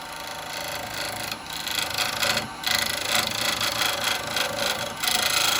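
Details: Hollowing a walnut burr bowl on the lathe, taking off high spots: rough scraping cut with uneven chattering as the tool bounces over lumps, showing high spots still remain.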